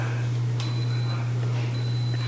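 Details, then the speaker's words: Yongnuo YN685 speedlite on fresh lithium batteries, remote slave in manual mode at Group B via the controller: a thin, high, steady beep sounds twice over a low hum. The flash has recycled instantly and is ready to fire. "Instantaneous, ready to take another picture."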